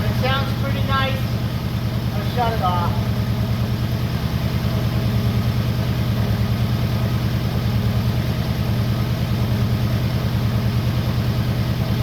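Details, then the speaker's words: 1962 Oldsmobile F85, 230 all-aluminum engine, all original except an added Holley carb and choke, before timing and points are set: even steady idle pulse with no misses or knocks and a brief rev; runs smoothly. "Runs nice and smooth. This is all original. No one's really messed around with it."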